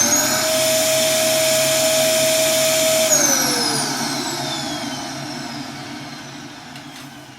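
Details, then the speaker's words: Dyson DC07 Origin vacuum, reported to overheat and die after about 10 minutes, heard at first switch-on: a harsh, strained motor whine with a thin high pitch that sags as it runs down. The airflow sounds choked, probably by a clogged filter rather than a motor fault. "And to me it sounds very blocked up. It's probably not the motor, it's probably just a tremendous blockage somewhere."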